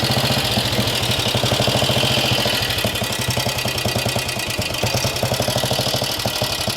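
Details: Norton 16H 500 side-valve classic British single-cylinder motorcycle started with decompressor and clutch, no choke: slow, heavy thump about three beats a second with a steady exhaust bark; running well, though it has a known tick-over problem.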